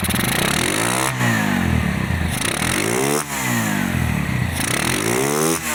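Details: Restored Honda GL100 engine (year uncertain, possibly 2000–2002), rebuilt with Aspira GL Max Neotech piston, CDI ignition, valve clearance 0.10: three clean rev blips returning to steady idle, no knocking or rattle; smooth, healthy single.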